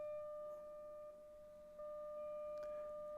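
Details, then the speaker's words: Philips Model 148 tube radio under restoration, signal generator tone fed through a DC blocking capacitor to the output tube grid at up to 7 V RMS: clean steady tone around 600 Hz with a faint overtone from the speaker; output stage working. "signal is on let's see if we hear anything yes I can hear it let me put it up a bit more okay that's at seven volts RMS that's pretty high"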